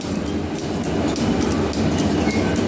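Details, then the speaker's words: Metal planer, first runs with flat belts on crowned fast and loose pulleys, tracking well: steady running with a light regular click as the belt fastener passes the pulley, typical of flat belt drives; normal. "And you can hear the fastener going over the pulley here. And that's typical that is on flat belt drives."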